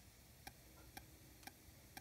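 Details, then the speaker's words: Homemade ammo-box Bluetooth speaker with amp having built-in Bluetooth: faint sharp ticks about twice a second over quiet hiss through the amp, which go away on their own after a while; owner suspects the cheap Bluetooth module. "so here's that noise I'm talking about with that Bluetooth I'm gonna figure here um but for some reason after a while it would just go away just like for no reason then it goes away it is this"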